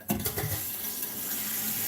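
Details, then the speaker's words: Water line to a toilet, braided supply line just replaced after a leak: a few spitting bursts as the tap opens, then a smooth steady flow; trapped air purging from the line. "Yeah. Got a little bit of air in there."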